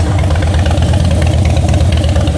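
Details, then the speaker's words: Salvage-auction wrecked 2013 Harley-Davidson Heritage Softail, idling while seats are fitted; deep, loud, lumpy V-twin idle with steady low beat, no rattle or knock. Exhaust sounds real good, normal idle. "I want you to take a listen to this exhaust real quick. All right, that sounds pretty good, guys. Sounds uh sounds real good."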